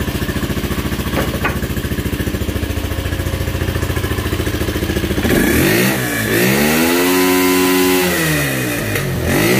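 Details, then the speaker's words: Motorcycle that bogged and stalled at 6,000–7,000 rpm, with the new part fitted and a hot engine: steady, even idle thump, then clean throttle blips rising and falling without stumbling; a clearly noticeable improvement. "vemos una mejora bastante bastante notable"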